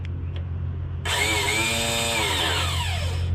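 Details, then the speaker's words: Honda Harmony lawn tractor found roadside that would not crank, starter jumped directly with cables: a high whirr spins up freely and winds down without cranking. The Bendix isn't engaging; owner suspects a sticky starter. "sounds like the Bendix isn't coming out though right it's just spinning"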